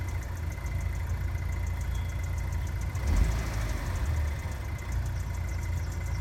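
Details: GM LNF engine idling with a light, quick tapping/ticking about four or five a second over the steady rumble. It happens on initial start-up and goes away once warm.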